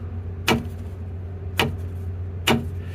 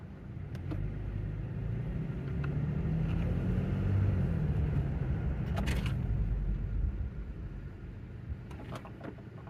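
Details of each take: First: 2016 Toyota Tacoma rear end: three sharp metallic tinks, about one a second, over a low hum. The axle rocks when braking to a stop because the rear air bag is held by a single C-clamp on one end. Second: 2016 Toyota Tacoma after the fix: rear clunk when braking and stopping, traced to the rear air bag/lift-kit bracket. Test drive gives low road rumble while slowing and stopping with no clunk from the rear end, now pretty quiet.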